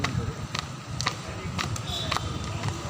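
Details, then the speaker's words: Car driving on the road: light tapping about twice a second over low road rumble, keeping time with wheel rotation, coming from the left side tyre; something lodged in the tread. "आवाज आ रही है कि इस side से आ रही है मैं left side से आ रही है"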